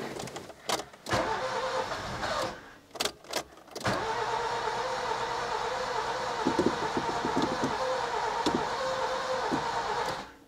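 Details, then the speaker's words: Nissan Micra K11 (about 1.0 L, size unsure) that won't start, delivered and pushed in: fast even cranking with brief uneven catches that never pick up into a run, fuel pump heard and exhaust smelling of fuel; flooded engine with fouled spark plugs. "so it spins pretty fast. It is trying to catch, but it doesn't really want to go."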